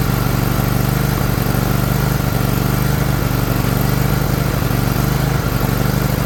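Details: Liquid-cooled Kawasaki twin, John Deere LX178 mower, after fuel filter change: rough fast idle with uneven throb and small stumbles, running rich; carburetor flooding over, leaking fuel onto the muffler.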